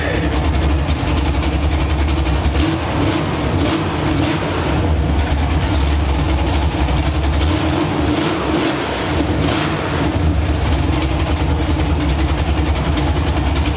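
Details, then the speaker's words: LS V8 swapped into an Infiniti G35, first run just after installation, oil full, fuel line temporarily clamped and cooling system unfinished: deep, steady V8 rumble holding an even idle with a slight lope and no knocking or misfire. "all right that's going to wrap it up for this one engine's in runs oil's full"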